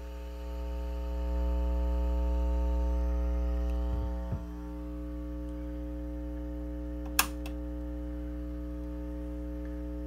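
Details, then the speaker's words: About 1972 Fender Silverface Bandmaster amp with a noise complaint: constant low buzzy 60 Hz mains hum, measured on the scope at about 3.5 divisions of 5 ms, suspected from faulty normal-channel input jacks while using the vibrato channel. "and then take the reciprocal, and you're going to come up with about 60 hertz. So that's a 60 hertz hum."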